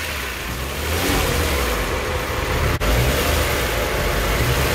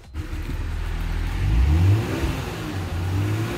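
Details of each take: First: Kia Stinger GT GDI engine, revs held slightly while intake carbon cleaner is drawn in via the catch can/PCV hose; coughs and stumbles irregularly as if about to stall, considered normal during cleaning. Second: Kia Stinger GT GDI engine revving smoothly on a drive along country side roads right after an intake valve and fuel system carbon cleaning; the clean, steady, rising tone has no misses or rattles, and it sounds normal.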